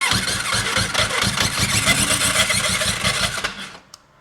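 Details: Suzuki GS500 motorcycle on hoist, mic clipped to bike: harsh metallic screech and rattle from start-up until shutdown; starter clutch bolt heads rubbing the flywheel rotor.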